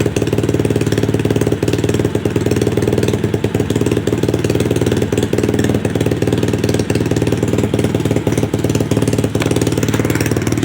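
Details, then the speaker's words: Customer's second SSR pit bike after carburetor rebuild, which previously needed starter fluid: a quick, even single-cylinder putter holds a steady idle for ten seconds with no misses or surging. Healthy normal idle. "took a little second but she's up and running no starter fluid need it iding pretty nice and good"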